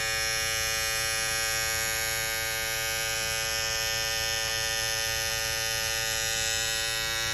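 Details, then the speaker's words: Babyliss FX3 trimmer that had started making a loud noise, after swapping to a graphite FX707B blade: smooth even buzz with steady high hiss, no rattle or chatter; much quieter, running normally. "Yeah. Way quieter, man. I just wanted to share this with y'all."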